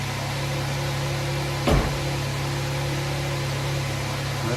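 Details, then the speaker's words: 2011 Jeep Wrangler 3.8 V6 with P0301-P0306 misfire codes, after plug wires rerouted: steady, even idle hum, no stumble or skipping beat, brief handling clunk; no more misfire. "pretty good so far no more [Music] misfire everything's back in its looms"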